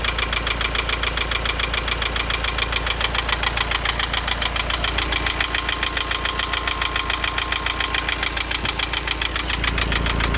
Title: Laguna 2.0 DCI knocking sound